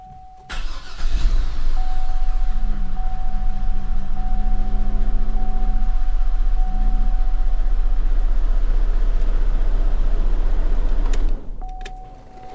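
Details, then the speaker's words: Cadillac SRX from a Copart flood car, its engine revived after being seized and full of water and due an oil change: it catches quickly and holds a steady, even low rumble for about ten seconds before shutdown. Normal running. "Look, I'm just flat out impressed that the damn thing, it runs, you know? She is running good."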